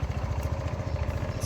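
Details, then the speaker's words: Honda ADV 150 scooter, new NOCO NLP5 lithium battery installed and everything reassembled: small single-cylinder thumps at a steady, even idle with no misses or rattles; healthy running. "So ODV2 is back on there, sticking out. We're running."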